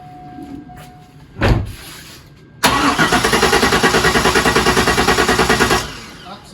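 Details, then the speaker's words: Abandoned Corvette C5: the fuel pump does not prime at ignition on, so there's no fuel; the starter churns steadily at about three beats a second for three seconds, never catching, with no tach movement; crank no-start from no fuel delivery. "I want to see if the fuel pump primes no so there's no fuel so it's definitely not going to start but let's crank it over"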